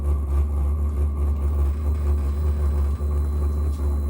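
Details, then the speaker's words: VEVOR 8kW 12V diesel air heater on first run: steady, low pulsing jet-like burner roar with no misfire or knocking; loud and a little smoky at first while burning off, which is normal. "There you go. Jet engine. Oh yeah, the heat exchanger's working. At first it's going to be a little loud."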